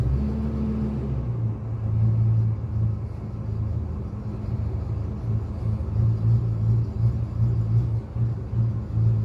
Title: 1999 ford f350 v10 misfire and idle surge need help